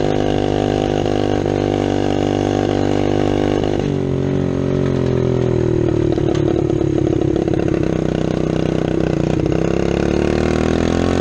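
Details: 1972 Honda SL70 small single-cylinder motorcycle project: steady idle thump, picks up briefly with a blip and settles back evenly; normal idle, sounds healthy.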